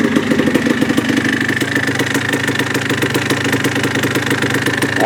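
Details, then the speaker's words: 1980 Yamaha IT175 two-stroke single idling while warming up after a new piston and rebore: quick, even popping beat; the earlier high-frequency top-end ticking and piston-slap rattle are gone, normal idle. "I like it. It sounds so good. That rattle is gone."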